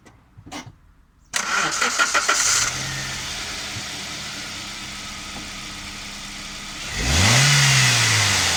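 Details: Toyota Corolla E12 1.4 VVT-i after alternator V-belt replacement and retensioning; engine catches, settles to an even idle, then one quick rev rises and falls cleanly with no belt squeal. Normal idle.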